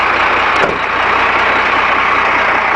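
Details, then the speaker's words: 1991 Ford F800 boom truck, rebuilt Ford six-cylinder diesel with 200,000 miles: steady, even idle with a smooth unbroken clatter and no knocks or stumbles; it runs like a sewing machine. "You can hear the motor. Runs like a sewing machine."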